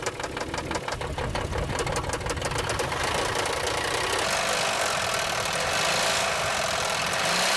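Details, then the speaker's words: Engine runs roughly with uneven pulses of about three per second. Oil or compression rings, which can be damaged by poor lubrication or overheating, let compression leak past the pistons. "se dañan los anillos de aceite o de fuego causando que la compresión se fugue por ahí y podría causar que el motor vibre mucho y funcione más o menos"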